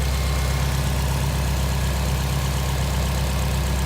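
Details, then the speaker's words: 2005 Subaru Impreza WRX STI at 44,956 miles, idle: deep, steady, even burble with no knocking, no piston slap and no odd noises; very quiet, and the engine sounds healthy. "Idling. Everything sounds as it should. No funny noises."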